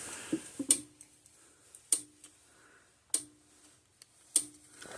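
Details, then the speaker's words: 2001 Southern States Statesman electric fence energizer with a non-working gauge: sharp, strong clicks about every 1.2 seconds with a faint buzz, sounding healthy. The unit tested at 10,000 volts output; only the gauge is faulty. "Okay, the gauge is not working, but it sounds healthy. It sounds It sounds good physically."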